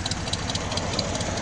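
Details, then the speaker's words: 1972 Ford F100 with a freshly fitted 302 V8 replacing a bad 300 inline six: steady, even idle rumble with a fast regular valvetrain patter and no uneven misses, "smooth as eggs"; idles smoothly. "she's running smooth as eggs sounds"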